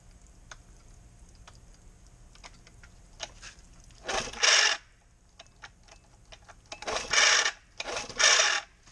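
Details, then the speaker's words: 1968 Evinrude 6hp Fisherman outboard, carb freshly rebuilt, spark and compression confirmed; three sharp shrill squeaks on each recoil starter pull, engine not firing. Squeaky recoil starter gummed with old grease, fix is WD-40. "that is just a squeaky uh problem which give me the wd there it's easily fixed there's a lot of grease in this motor"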